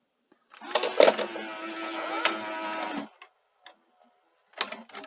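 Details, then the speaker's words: Sony SL-HF950 Super Betamax, tape inserted after power-up: smooth motor whir and clean clicks as the cassette threads, no grinding or slipping; loading mechanism sounds healthy. "all sounds good that's a good start"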